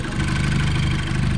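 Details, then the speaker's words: Seat Leon Cupra 2.0 TFSI after fixing the cylinder 1 misfire (P0301): steady, even petrol idle with a smooth low rumble and no stumbles; the problem is solved and it runs fine. "Şimdi sorun çözüldü Tabii ayet araç gayet güzel çalışıyor Herhangi bir sıkıntı yok"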